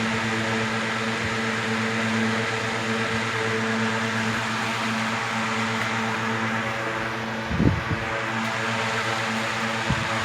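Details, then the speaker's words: 1970s 16-inch Toastmaster box fan with replacement 1940s desk-fan blade set, on high: steady even hum and whoosh, minimal vibration, no rattle, wobble or ticking; normal running. "Vibration, minimum vibration. There's no rattling. It's running very smoothly."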